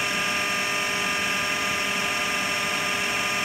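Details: AEG Lavatherm 56800 dryer whose motor turned only one way due to a PCB relay, tested with a relay removed; steady, even whirring hum without knocks or scraping, drum turning smoothly and normally.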